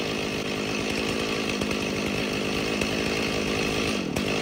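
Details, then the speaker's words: Stihl MS 290 chainsaw, somewhat warm at idle: rough, uneven buzz that sags and nearly stalls around four seconds, needing throttle to stay running; dying at idle, later addressed by carburetor rebuild. "so I have it in idle right now because it's somewhat warm see and then she dies out okay about to die there right here"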